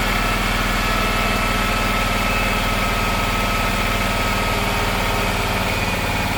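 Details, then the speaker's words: Circa-2006 Gravely 260Z mower with a Kawasaki engine, just started with a new aftermarket carburetor: steady, fast, even pulsing with no hunting. The idle is too high because the unlocked idle screw had vibrated all the way in. "Long before I uh replace this carburetor, I noticed the uh idle had been increasing and uh for some reason and I didn't realize that the screw I guess uh it wasn't locked down. The lock nut was not locked and it's been vibrating all the way in."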